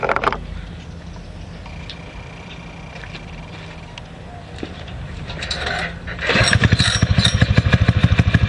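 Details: Predator 6.5 clone single-cylinder on a springer bike after carb re-jet, idle left unadjusted: kick-started cold with choke fully off and a bit of throttle, it fires right away and settles into a steady, even putter; healthy start.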